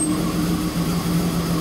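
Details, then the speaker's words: 1991 BMW 525i, long sitting, starts only after 10–15 tries, no check engine light: low idle wavers and briefly drops out, rough uneven idle improving slightly; owner suspects fuel pump or fuel filter. "I got it to start but it runs like crap see well now it's kind of running better but it's still kind of"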